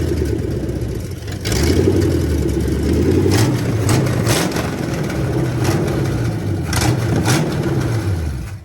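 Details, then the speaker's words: 1985 Ford Mustang GT, factory 5.0 V8 with 5-speed, first start in about 20 years: cranks, catches and settles into a low, even burble with no misses; runs smooth, normal idle. "That's pretty smooth right there, though. So I'm gonna let her rest right there. I'm happy. She runs very good."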